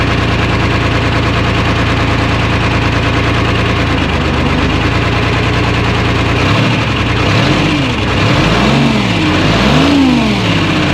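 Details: 1975 International Loadstar 1850, Detroit 6V53 two-stroke diesel, just started after fuel lines found loose and tank empty; rough stumbling idle and lumpy revs, bad misfire. Owner unsure if air in fuel or a real fault; oil pressure about 65 psi, no coolant in engine.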